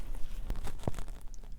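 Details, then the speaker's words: Bicycle wheel: sharp, dry clicks where crossed spokes rub at the cross, wear spot visible, worst on road bikes climbing at slow speed; fix is a drop of thin lube at each cross, squeezed in. "every time the spoke comes around the spoke that's clicking the two spokes you'll hear it over and over again and it's hard to figure out where it's coming from"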